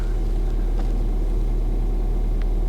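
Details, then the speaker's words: Ford Fiesta ST, just started after fitting a replacement ECU to cure a previous misfire: steady, even low idle rumble with no skipped beats; runs perfectly smooth and clean, no misfire. "it's not misfired it's perfectly smooth what to the hell let's move it forward it's not it's not misfiring"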